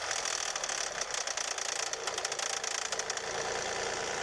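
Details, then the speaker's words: 1999 Lexus RX300 just after start-up: a light, quick ticking knock over a thin idle, suspected in the cylinder head and said to quieten as the engine warms; cause not confirmed. "так стук где-то вот в районе примерно но если так слушать где-то здесь вот"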